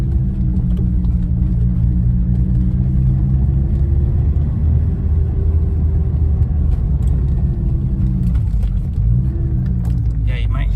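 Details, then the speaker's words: 1991 BMW M5, 3.6 L S38, driven around the block with the engine and oil still cold: a low engine rumble plus a faint whir rising and falling with revs, the secondary air pump. "like some whirring that's engine speed related that is the secondary air pump"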